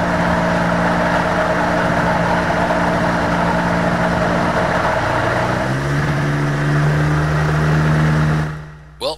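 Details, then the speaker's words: Rotax 503 two-stroke on a Challenger 2 ultralight: steady drone with an uneven rattle about four times a second when throttle drops to low rpm, the "death rattle" from the engine, first suspected as the re-drive; can cause serious damage. "what you heard there was What's called the death rattle that rattling noise from the engine"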